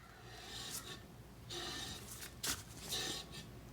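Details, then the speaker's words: Boat trailer wheel with surge hydraulic brakes, newly fitted locally bought bearings, brake assembly and drum, spun by hand: almost silent, only a soft intermittent swish of pads lightly rubbing; healthy bearing. "nothing you hear a little bit of the brake pads they should be touching on these surge hydraulic surge brakes"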